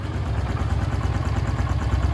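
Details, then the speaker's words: Fuel-injected Honda Pop small motorcycle idling after an oil change where the wrong bolt (cam chain tensioner) was removed and refitted: a quick, even low thump with no knocking or rattling, engine perfect; the slight exhaust noise is a small exhaust hole. "Top. Normal, né? Zero bala."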